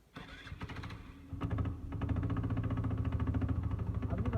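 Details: TVS Jupiter scooter with a broken CVT drive belt: engine cranks and catches, then idles with a fast, uneven khatar-khatar clattering over the engine note; worn, damaged CVT belt, to be replaced with a new one.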